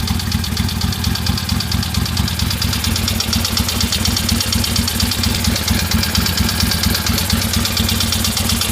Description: My '73 ironhead Harley sportster is making a knocking noise on front cylinder. Think it needs a valve adjustment.